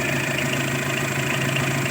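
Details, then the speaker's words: 2015 diesel vehicle after servicing injector no. 4, cleaning the intercooler, with fuel filter to be replaced: even, steady idle with no hunting; the previous rough, unstable idle is gone, now normal. "Masalah putaran mesin yang tidak stabil sudah hilang; Sekarang sudah normal dan tidak lagi berjalan kasar seperti dulu."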